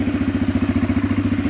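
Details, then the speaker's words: 2006 Arctic Cat 400 ATV after fixing intake manifold leaks and turning the fuel mixture screw out for more fuel; starts right up into a regular, even putter of about twelve beats a second with no misses or surging. Normal, healthy low idle. "It starts right up. Oops. Got to turn the key on. Has a nice low idle."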